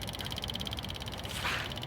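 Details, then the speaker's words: PCI nitrogen servicing cart (SGNSC/GANG) with glow-plug engine, ignition switched on to prime the fuel system: fast, even high-pitched ticking at about fourteen clicks a second; the electric fuel pump is priming normally. "So to prime the fuel system, I just turn that on to ignition. And there we go. You hear that operating right there?"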